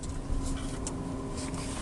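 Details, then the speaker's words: 2022 Renault Zoe on rough dirt road after stabilizer links were replaced: only soft tyre and road hiss in a quiet cabin, no knocks or clunks; the earlier suspension knock is gone. "Ну нема нема стука нема цих сторонніх шумів все працює так як потрібно"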